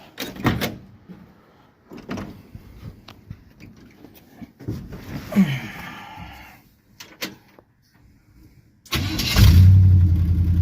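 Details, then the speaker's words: 1957 Chevy 210 with 350 Vortec swap, starter cranks cleanly without grinding after fitting correct starter for 168-tooth flexplate; V8 fires on fuel poured in and settles into loud, rough open-manifold idle. "So, we got the right starter in it now. No more grinding."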